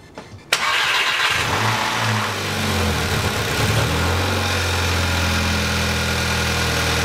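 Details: VW Mk5 Jetta Wolfsburg 2.0T TSI, first start after pulling engine and repairing seized balance shaft; cranks briefly, catches cleanly and settles into smooth, even idle with no knocks or rattles, healthy.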